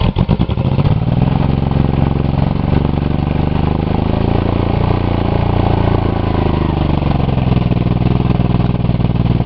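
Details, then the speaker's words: Buick 3.8 (3800) V6 run with the oil pan back on, one connecting rod removed, a hole in the block and little oil; after cooling and recranking it revs high with heavy, rough, uneven clattering, suspected to have thrown another rod. "oh oh oh oh that rev to the Moon right away sound like it threw another Rod you hear I heard another cylinder"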